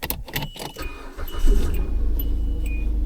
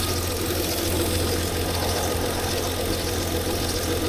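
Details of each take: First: 2003 Hyundai Sonata after replacing the PCM with an uncloned unit (VIN mismatch): engine catches quickly and settles into a smooth, even idle with no stumble or skip; misfire gone, repair confirmed. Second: 2003 Hyundai Sonata after an uncloned PCM replacement: steady low idle with a faint hiss over uneven, stumbling pulses; audible vacuum leak near bent parts causing misfire, engine light on.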